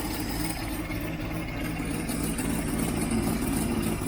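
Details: Freshly rebuilt 1967 Mustang 390 V8 just started stone cold on choke: a steady, slightly lumpy fast idle with no knocking or missing. Running fine; an exhaust leak at the heat riser, which has no gasket, is still present.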